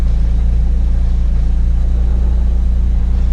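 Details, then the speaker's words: Track-prepared Ford Focus ST170 (GSXR ITBs, ME221 ECU) idling right after its first start since being parked. A steady, even low idle with a regular beat of about three per second and no knocks or misses. Normal idle. "I'm amazed that hasn't been started in, well, since I parked it up after Castle. Oh, she's purring like a kitten."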